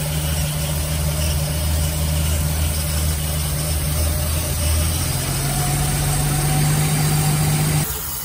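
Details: 1946 Dodge pickup barn find old six, second start try after points regapped and condenser fitted, old fuel drained, filters and plugs done and carburetor cleaned; on choke, no coolant, steady low idle hum rising slightly partway, smooth and even; runs clean and sound.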